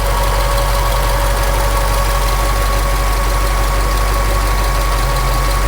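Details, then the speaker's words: Ticking at idle on a 1966 Ford Galaxie 7 Litre with a 428 donor engine being broken in after overheating often, no PCV fitted. Loud steady idle with a light tick about three per second; suspected valvetrain or exhaust leak, some blow-by. "you can hear it making noise over here it sounds like a little bit of valve train maybe a little bit of an exhaust leak"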